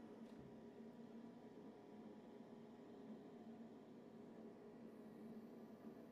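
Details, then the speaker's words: About 20-year-old Comfortmaker gas furnace after its loud draft inducer was replaced: quiet, steady low hum with a soft airy whoosh, normal inducer operation, much quieter than before. "that's what a new inducer sounds like."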